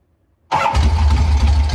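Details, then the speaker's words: Motorcycle start after installing a rebuilt, re-jetted S&S Super B carburetor, exhaust refitted and ignition timing set: catches at once, steady even low rumble, no misfires or stumbling; normal start and idle. "so let's just go ahead and fire it up real quick and see what we're working with"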